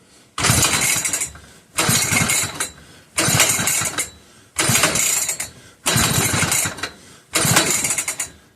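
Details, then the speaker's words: Old McCulloch 1-52 chainsaw, freed up with strong compression and spark checked, clamped in a vise, on 2-cycle mix: six rapid pull-start bursts with a few pops but no catch; hard starting, owner avoiding flooding before adding fuel. "I'm gonna keep trying before adding more fuel, because the last thing I want to do is I want to be sure that that it doesn't have any fuel in there before I add more, so I don't end up flooding it."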